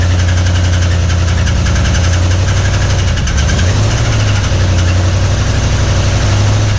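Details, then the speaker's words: 1961 Mercury Meteor V8 first start in 24 years with new parts: loud rough uneven idle, noise seemingly up front; oil pressure light stays on, no oil pressure; oil starvation knock. "I want to see that oil pressure light is still on. Will you check that? Yeah. Pulse still on. Light still on? Mm-hmm. We're not getting any oil pressure."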